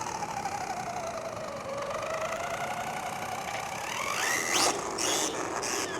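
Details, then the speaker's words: Rlaarlo Omni Terminator 1/10 RC monster truck, Hobbywing 10BL120 G2 ESC on max punch: high motor whine rising with throttle and a worsening harsh grinding until drive is lost; pinion gear stripped. "Yeah, something's stripped. I might as well just give it the beans. Fully expecting this to give up any second now. That noise is getting worse."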